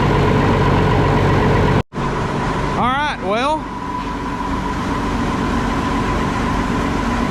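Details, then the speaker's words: Cold diesel concrete pump engine running after replacing the old lift pump suspected of sucking air into the fuel system and cracking fuel lines to bleed air: settles into a steady, even run with no hunting or stumble, already sounds better. "so I'm going to let it run for a little bit I don't want to get my hoax up too much but it already sounds better"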